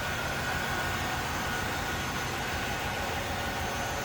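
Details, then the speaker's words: 1996 Chevrolet Impala SS, stock LT1 V8, idling with the hood open at a clean engine bay. The idle is smooth and even, with a soft hum and no knocks or ticks. Normal idle. "Nice and clean, smooth running."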